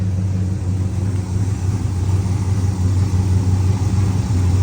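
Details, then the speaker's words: 1970 Pontiac LeMans four-door parked about 30 years, warmed up; deep, even low rumble with steady firing and a slight swell when blipped, no knocks; healthy running engine. "sounds pretty good don't it"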